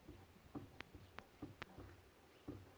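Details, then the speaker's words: 1973 Triumph Stag rear end, car stopped: dull irregular clunks as the differential output flange is rocked by hand, free play from a worn diff nose (pinion) bearing needing replacement; noise louder on one side when driven. "Turn it. I'm on, that's the output flange there, fnarr, and I can feel play in it. So I'm going to have to get another diff nose bearing. They do have a habit of going on these, I'm afraid."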